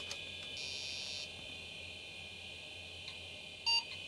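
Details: Old 80s/90s PC motherboard powering up while a hard drive is being configured in the BIOS: a single short high beep over steady fan hiss. It is a startup self-test beep of unclear meaning.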